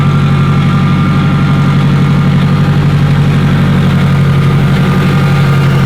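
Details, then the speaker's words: Newly built K-series engine in a Honda Civic Si with DC5 Creations turbo kit, T51 turbo, hood-dumped exhaust, cooling system bled; steady low idle with even pulse and faint hum, no rattles, healthy turbo engine idle. "Sounds incredible. A hood dumped K series, T51 Armad."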